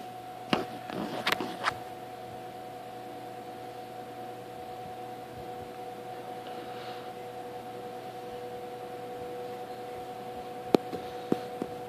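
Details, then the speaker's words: 1958 General Electric twin window/box fan, restored from trash, single long bearing motor, switched on and coming up to speed: faint steady whine over a low hum, a few switch-on clicks; normal motor winding whistle typical of these GE fans. "let it get up to speed but whistling noises del winding sound these General Electric boxing's of the unit bailing modos have the winding sound it's resonating from the winding"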